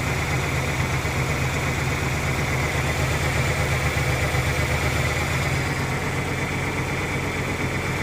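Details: 1997 Ford Ranger idles rough with an uneven, lumpy beat of about three pulses a second and slight shake, even after a new fuel pump; cause unclear.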